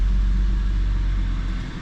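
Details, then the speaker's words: 2004 BMW 325xi after misfire repair with new ignition coils, on a drive around the block: deep, steady engine hum with no stumble, accelerating smoothly, no check engine light; normal running. "no more check engine light it's running nice and smooth that runs a whole lot smoother now"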